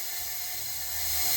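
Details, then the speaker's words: 1958 Oliver 550 diesel during engine reassembly, valves just installed, nothing turning: steady airy hiss that swells slightly as air escapes past a badly leaking number one cylinder exhaust valve; the intake valve is only mildly leaky. "but on number one cylinder here you can hear we've got some leaky valves that exhaust valve is really"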